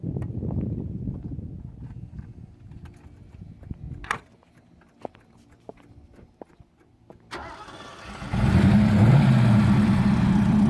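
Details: Restored 1975 Lamborghini Urraco P250, mid-mounted 2.5-litre single overhead cam belt-driven engine; quiet cranking, catches near eight seconds and settles into a steady, even idle with no knocks or misses; normal start-up.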